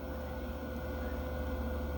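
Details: Jackery 500 power station running a small college fridge; a fan comes on as the load starts, reading jumps to 257 W then settles around 72–83 W. Low steady hum with an even fan whir; nothing abnormal.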